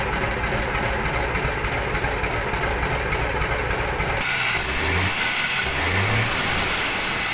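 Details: Mitsubishi Fuso 6D22 truck diesel test-run after rebuild/service, before installation into the chassis. Clatters evenly at idle, then picks up cleanly through a couple of quick revs and settles; sounds healthy and strong.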